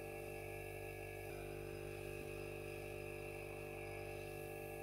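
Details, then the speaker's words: Domestic fridge compressor restarted after transport on its side and 5 minutes standing upright; quiet steady constant-pitch hum, no knocking or rattling, no oil blown out the discharge line; running normally. "still working perfectly. And once again, no oil came out the discharge line."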